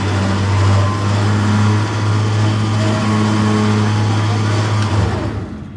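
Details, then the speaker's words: Car trailer electric winch pulling against two people: loud steady low drone, heavy and strained throughout, tailing off at the end; labouring more than it should, cause unknown, voltage unchecked, wiring previously troublesome. "it really shouldn't be struggling that much with you pulling off it what's making a hell of a noise"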